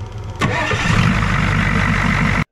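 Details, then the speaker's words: Ford 6.9 IDI diesel revived: brief crank, catches at once and settles into a steady, even clatter with no misses; healthy restart. "A little bit bent. Listen to her spark back up. Listen to this."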